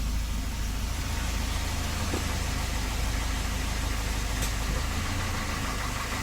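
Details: 1988 Volvo 240 GL petrol engine at idle: steady low idle with a faint, loosely regular light knock about four per second; most likely piston slap, otherwise engine runs fine.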